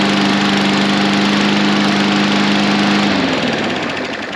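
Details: Briggs & Stratton 550EX lawn mower, newly replaced engine, first start: steady even single-cylinder drone with no shake or miss, winds down smoothly; old engine shook constantly; normal running.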